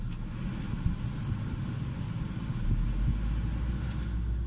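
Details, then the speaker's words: 2010 Ford Focus petrol engine idling with a steady low rumble that deepens slightly as the AC load comes on, now almost vibration-free after both motor mounts were replaced. Before, it shook badly at idle and under AC load. "guys it's like almost no vibrations in the terrier you put a load on it get the AC going"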